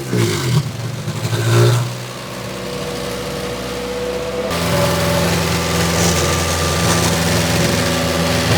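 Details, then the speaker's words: 2006 Toyota Matrix 4WD revved hard; exhaust forward of muffler replaced within two years, noise from rear of car. Muffled, choked note lacking free flow; owner suspects the muffler disintegrating inside and blocking flow. A small leak was later found at the muffler-to-front-pipe clamp. "I'm wondering if something has started to disintegrate inside the muffler because it almost sounds like there's a blockage."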